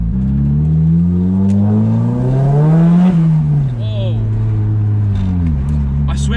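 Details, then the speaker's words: Nissan S15 Silvia SR20DET turbo after fitting a JJR stainless dump pipe, de-cat and resonator; the low-rev drone is gone, boost comes on quicker, backfires still loud, smooth deep note climbing evenly with revs; normal exhaust note. "came on just so much quicker like that just felt like it pulled so much harder oh my yeah honestly sounds way better [Music] backfires are still nice and loud"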